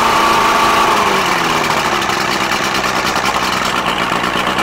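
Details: Johnson 90 hp outboard on Boston Whaler, unrun since 2015, after replacing failed ignition pack (no spark) and rebuilding carbs: catches quickly, steady even idle with crisp rapid beat, no misses; running normally.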